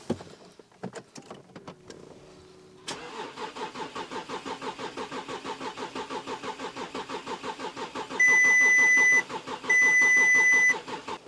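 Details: Volkswagen Touareg V6 diesel non-runner, partly disassembled, diesel confirmed reaching injectors on both banks but system not bled: starter spins the engine with an even chug under two warning beeps and it never fires. Cranks but won't start; fault codes to be scanned.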